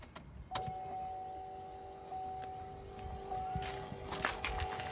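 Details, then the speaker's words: 2014 LML Duramax with a FASS 165 lift and sump pump, after the pump spring was lengthened to fix pump problems: a steady, even electric hum with a clean mid-pitched tone, pressure level, much better than before. "Sounds a lot better than it did before, because it was almost like it was not going to run."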